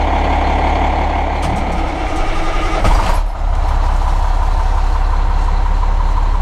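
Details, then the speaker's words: Cummins ISM 10.8 L (11 L) diesel heavy truck: deep even rumble at steady idle with a brief air hiss midway, no knocks or misses; normal idle. "i'm going to flip this camera on now and we'll go around and start it up for you again cummins ism engine 10.8 liters 11 liter"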